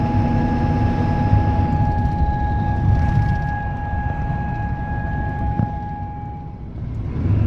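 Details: 1996 Ford OBS 7.3 Powerstroke diesel: a steady, clear chime-like tone from the dash rings over the rumbling engine as rpm or throttle rises, then cuts out; cause not yet found.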